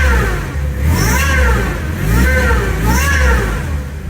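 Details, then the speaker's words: MX5 / MGB with newly fitted supercharger kit, first revs after install: rising and falling supercharger whine climbing with each of three throttle blips; belt holding, not skipped off. Normal supercharger whine, the noise wanted. "That's the noise we wanted, and the belt hasn't skipped off."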